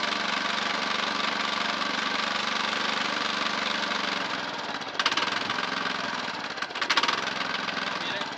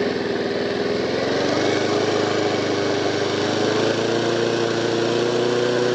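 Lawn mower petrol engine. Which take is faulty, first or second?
first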